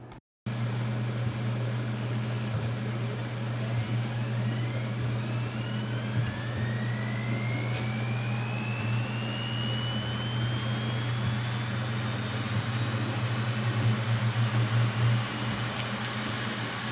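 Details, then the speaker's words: 2008 Hitachi Ultrastar 1TB hard drive, opened in a laminar-flow chamber: thin whine slowly climbing in pitch on abnormal spin-up over a fan hum, from a damaged spindle bearing during data recovery. "To nie brzmiało zbyt dobrze więc dysk jeszcze raz otworzyłem żeby sprawdzić czy nie robię Czasem zniszczeń"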